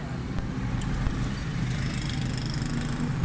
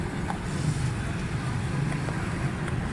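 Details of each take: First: 2008 Suzuki Bolan/Carry pickup after fixing poor pickup and missing by setting distributor timing and carburettor jet: steady even low idle rumble with no misses or stumbles over street noise; timing correct, running smoothly. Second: 2008 Suzuki Bolan/Carry pickup with missing and distributor timing fault, during timing check after carburetor cleaning: steady low idle with faint irregular patter and no clean rhythm; uneven idle.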